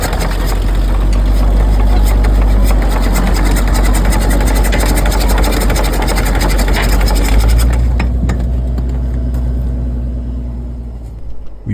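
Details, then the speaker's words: Military Caterpillar D4 (7J 8043) diesel towed backwards by a D6 with the engine in decompression, to bleed fuel toward the top bleeder line. A steady low rumble with an airy rush and no knocks; normal for decompression. "the noise you hear there is because the engine is in the decompression state so it's just Shing air all over the place"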